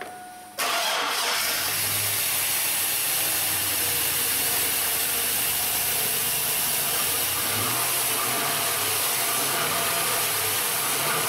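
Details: Chevrolet 1500 4x4 with replacement 5.3 V8 after blown engine, restarted after good oil pressure on first run: brief crank, then catches and settles into steady even idle, no knocks or misses; normal start.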